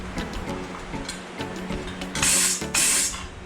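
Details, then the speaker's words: Harbor Freight blasting cabinet upgraded with Eastwood foot pedal and gun, higher-quality fittings fitted; air leak check gives two sharp, strong blast-gun bursts with no leak hiss between them, sounding healthy: normal air blast, no air leaks. "Oh yeah. Okay, that sounds pretty healthy."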